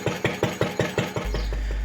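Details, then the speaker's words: Vintage Lister D single-cylinder engine driving a homemade CVT friction drive with a Sterling board drive wheel: slow thumping about five beats a second, then a steady low drone; the friction drive slips and won't turn, worst near centre. "But instantly there was a problem. Big problem. the friction drive slipped, wouldn't go round, which was"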